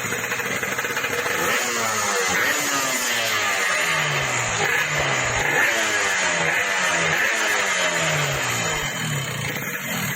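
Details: Yamaha RX King two-stroke, owner's complaint that power is fine but the engine rattles: repeated rev blips with a harsh metallic rattle on each rev; traced to the clutch housing (puringan).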